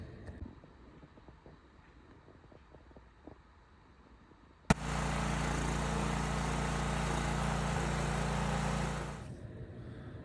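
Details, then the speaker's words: Coleman Powermate generator with Subaru EX30 engine, used, first start: sharp catch, then steady even engine roar about four seconds, no misses or knocks; runs great. "So I'm not sure exactly what he thought was wrong with it, but it runs great."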